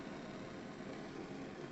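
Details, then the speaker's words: Gas burner at full flame on a double-diaphragm gas regulator (model steam use), inlet/outlet corrected, pressure gauge filmed: steady even roaring hiss with no sputter or flicker; normal full-flame operation. "je vais vous filmez d'abord le manomètre et vous écouterez le bruit donc j'ai l'agréable la puissance du gaz"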